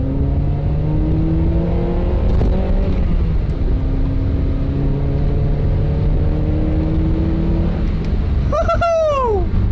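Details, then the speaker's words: Honda Prelude after valve adjustment for cylinder 2 misfire, test drive hitting VTEC: note climbs smoothly, drops briefly on a shift and pulls cleanly again, no misfire, no check engine light; normal acceleration. "i think the prelude is good right now we've driven it a couple of miles we hit vtec no check engine light came on"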